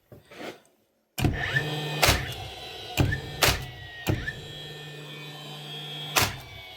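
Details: DeWalt DCN660 nailer: motor whirs and gun fires with sharp snaps about every second but strikes sound hollow, leaving no mark in the timber; broken driver blade, fixed by replacing driver assembly.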